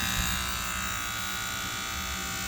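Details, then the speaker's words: Furnace with the AC on: a steady electrical buzz, a constant low hum under a harsh high fizz. The source is the old White Rodgers 8A05A-101 transformer/fan relay, located by listening through a stick held to the ear, which is buzzing and clicking and needs replacing with the identical unit. "what it what's inside is a transformer and a relay and really that's the one that's buzzing"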